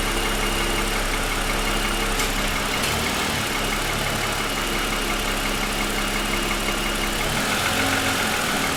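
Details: 2007 Lexus ES350, parked, hood raised, cold idle for ~10 minutes after start: light uneven tapping about three per second; owner says piston slap, worsened over 2.5 years, suspects production defect.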